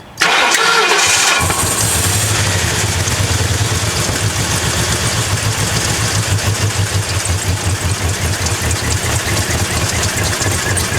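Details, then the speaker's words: Crown Victoria drift build V8 that had sat unused: crank then unsteady, lumpy idle with a wavering beat; owner says it later ran okay with Seafoam. Rough running, cause not confirmed. "so we've got to keep looking and figuring out what is the deal why is it running like that all right we started up you hurt it runs like [ __ ]"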